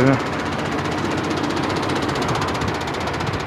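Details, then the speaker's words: Truck in Canada: loud, rough engine drone with a fast, even pulsing buzz, strong vibration of unknown source. "saber que que é esse barulho aí que tá vibrando tanto"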